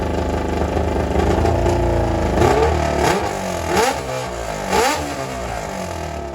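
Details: 1995 Kawasaki ZX7 motorcycle, first run after water got into the engine and it was flushed with transmission fluid. Muffler removed because of leftover fluid in the exhaust. Loud open pipe revs unevenly, stumbling with ragged firing; running rough.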